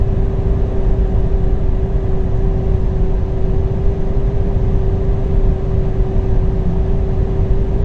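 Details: 2007 Alfa Romeo 147 1.9 JTDm 16V 150 HP with a low turbo boost problem, at around 180 km/h: steady mid-pitched whine over road and engine rumble from the right side; owner suspects the wheels, not confirmed.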